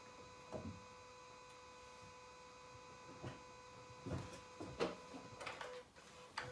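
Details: Car gives single sharp clicks at irregular intervals on key turn, never cranks; owner suspected battery, but still clicks after full charge and sanding battery and starter connections.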